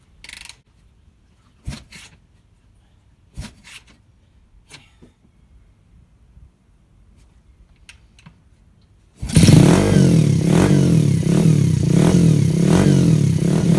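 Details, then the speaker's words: Yamaha SR250 single built for 100 mph, first start after rebuild with new piston, bore and thinner copper head gasket: a few cranks, then it catches with a sharp puffing chuff each firing; exhaust or head gasket leak suspected. "That sounds fucking cool, but I've either got an exhaust gasket leak or a head gasket leak, and obviously a head gasket leak sucks."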